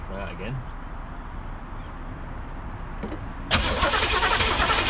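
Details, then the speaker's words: 1985 Pontiac Trans Am 350 small-block, not run in seven years, plug wires moved as owner suspects distributor installed wrong: steady cranking, three-plus beats per second, never catches. "let's try it laughs oh don't have the ignition hooked up"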